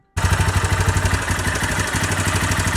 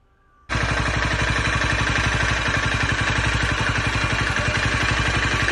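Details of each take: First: Honda CBR250R single-cylinder idling, before repair: a dry metallic clatter over the engine thump, identified by ear as timing chain noise; the timing chain was then fixed. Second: Honda CBR250R single-cylinder motorcycle starts and settles into a steady, even idle with no clatter after fixing its noisy timing chain; normal idle after repair.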